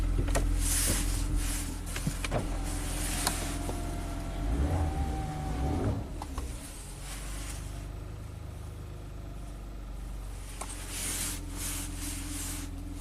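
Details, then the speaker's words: 2016 Maserati Ghibli twin turbo on its first start after new timing chains, scan tool connected: a low, even rumble with steady beats and a few clicks, no knocks or misses. It idles super smooth, with the readings at 11 and 11. "Look at that. 11 and 11. It's running super smooth. That's good."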